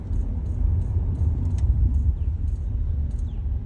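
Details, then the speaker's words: 1991 Toyota Soarer JZZ30, front left side, while rolling. Light, crisp ticks about three a second over a low rumble, following wheel rotation, sometimes doubling, heard under throttle. Owner compares it to a bad wheel bearing, cause unconfirmed: ticking while rolling. "And it's just tick, tick, tick, tick, tick. Watch, listen. Like a bad wheel bearing, right?"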